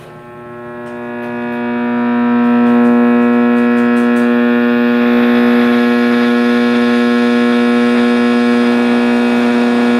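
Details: 1960s General Electric black-and-white TV, back off, warming up after a wire was stripped and reconnected: a loud, steady low hum with a strong howl that rises then holds; owner thinks the tube is fine and suspects an internal capacitor, unconfirmed.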